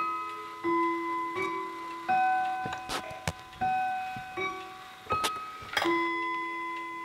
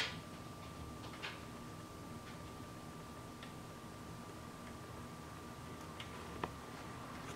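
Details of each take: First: Howard Miller 61318 clock with Kieninger Westminster chime movement, after bending apart two touching chime rods: clean, separate chime notes each decaying evenly, no doubled buzz; normal Westminster chime. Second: Howard Miller 61318 clock, key-wound Kieninger Westminster chime movement, pendulum connecting piece bent at elbow: faint ticks at uneven gaps about one a second, no steady tick-tock; out of beat, won't keep running.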